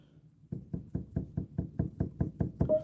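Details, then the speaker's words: Piston action key frame rocked by hand: quick hollow wooden knocks because a glide bolt is floating just above the key bed, common after bedding and moving; others seem to make contact. "that means that that one's just floating just above the wood which we don't want"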